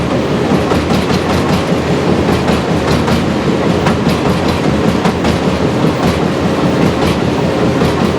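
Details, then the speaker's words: Powerscreen PT330 jaw crusher running after toggle plate replacement: heavy rumbling with knocks about once a second over loud rattle; still banging, should be near silent, owner suspects a ram surge problem. "So we'll fire the jaw, and when the jaw is moving, it should be pretty much silence. You shouldn't be able to hear any banging. So I'll go and start the jaw. Yeah, that's still not right, that."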